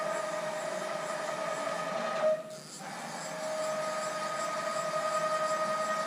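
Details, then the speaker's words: Haas VF-3 retrofit with Chinese servo drives, Y axis jogged by MPG handwheel: steady high humming whine around 600 Hz while moving. Ball screws could be blamed. Servo motor whine. "It's not that bad. You hear that humming, that whining or whatever?"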